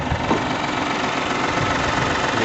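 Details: Mahindra KUV100 1.2 L diesel at idle: a loud, coarse clatter all the way through, likened to a tractor and far rougher than it should be; cause unknown.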